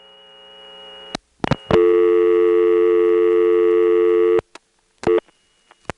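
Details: GTE-owned North Electric NX2 crossbar exchange in Hahira, Georgia, recorded March 1978: background power noise on the originating register while it times out. A steady piercing squeal from unbalanced power with low hum underneath, plus relay clicks.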